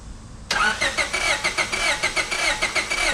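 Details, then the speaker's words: 2000 Honda Civic EX with aluminum head, overheated and known blown head gasket: starter cranks with quick uneven whirring but engine won't fire, though it started before; lost compression from the blown head gasket. "actually, the car's not even turning on in our case, although before it was turning on. So if it's not turning on, we don't have enough compression."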